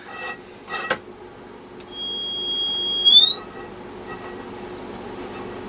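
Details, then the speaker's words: Restored 1952 HP 200AB audio oscillator on the x200 range, amplitude maxed, through a speaker; clean pure high whistle holds steady then climbs in steps to nearly inaudible pitch, no hum or crackle; normal sine tone output. "Okay, I got a speaker connected so we can actually hear the tone. So if you got headphones on, you might want to turn your volume down a bit. And that goes right on just about out of your hearing range."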